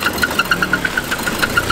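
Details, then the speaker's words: Saab engine that was trying to seize and dumping oil, block possibly holed: sharp, even knocks about eight per second over a rough idle; suspected wrist pin, not confirmed. "it sounds like a wrist pin or something"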